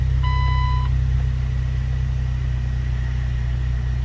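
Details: 2004 Jeep Wrangler 2.4L with earlier crank-no-start, stalling and code P0340 blamed on aftermarket cam/crank sensors, after fix and clearing codes and adaptives: short dash chime, then smooth low idle with no stumbles; no code returns.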